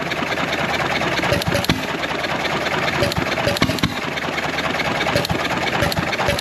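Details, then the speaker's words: John Deere 1.5 hp hit-and-miss gas engine, started easily next day with fuel valve open about three turns, water now in hopper: slow spaced firing beats over steady clatter, little smoke; running normally. "look at that back hard and running nice"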